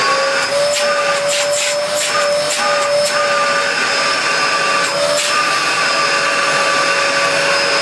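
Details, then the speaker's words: 1996 Dyson DC02 vacuum, before refurbishment, running with floor tool, filters missing; steady high motor whine with rushing airflow, even pitch, brief hose knocks; strong suction, likely from lacking filters; motor running normally. "Nothing wrong with that. Has all that suction as well, which is probably more due to the lack of filters than anything else, I"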